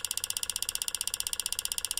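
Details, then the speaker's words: 360 front-wheel-drive car with EVAP code P0442, purge solenoid activated by scan tool at increasing duty cycles: sharp, crisp, steady loud clicking around fourteen per second, much louder than the new part; confirmed faulty purge valve solenoid. "hey that sounds quite different that it's not as clicky the other one was clicking much louder than this"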